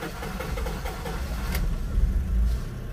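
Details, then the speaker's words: Honda CR-V: long rough cranking, the engine barely catches with uneven low thumps then fades and stalls; hard starting, fuel pressure checked. "So hard starting siya namamatay."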